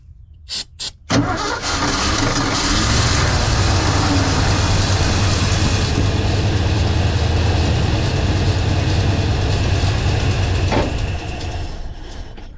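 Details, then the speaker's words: 1982 Ford F-150, 302 V8, manual, long-neglected fuel system with rusty tank: short cranking bursts, catches and runs rough about ten seconds on starter fluid then fades; no fuel from the mechanical fuel pump, suspected faulty. "Nothing, no fuel. Bet I can keep it running on starter fluid. Let's see."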